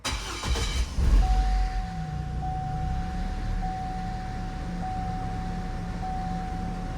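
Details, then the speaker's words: 2006 Hummer H3 with rough idle and stalling: short crank catches and settles to a steady low idle with door chime pinging, after stalling on barely any throttle; O2 sensors oscillating lean-rich, suspected sensor or catalytic converter, cause not found. "There is I barely gave it gas and it shut down on me."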